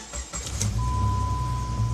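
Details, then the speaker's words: 2000 Jeep Grand Cherokee Laredo after fixing a cylinder 2 misfire code and letting the computer relearn idle: quick start into an even, smooth idle around 800 rpm; normal idle. "as silk right at 8 800 rpms just like it's supposed to be smooth smooth"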